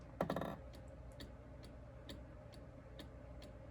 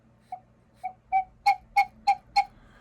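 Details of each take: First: Vintage gravity-driven wall cuckoo clock back in its case, at the half hour: quiet even ticking about once a second, a faint feeble cuckoo note and no chime; the bird barely wiggles, the strike lacks lift. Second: Vintage gravity-driven wall cuckoo clock, bellows freshly rewrapped with paper: seven short breathy whistles, each stronger, a clean clear pipe note with each push; bellows sound properly, though owner thinks they should fall fully under their own weight.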